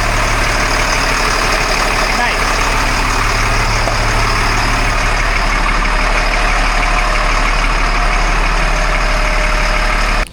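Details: 1997 LMTV military truck diesel just after a full service and oil change, started with oil pressure and briefly held at wide-open throttle to purge air; then steady, even idle with smooth low rumble, no knocks or misses, healthy.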